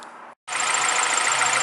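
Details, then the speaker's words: Cheap Acura Integra with B20 engine, running: fast chirping squeak on top from a throw-out bearing that needs replacing; clutch also starting to slip. "I have a throw out bearing that needs to be replaced and my clutch is starting to slip unfortunately already that's not that bad I still drive it but as I'll show you here in a second it squeaks like no other you would not believe"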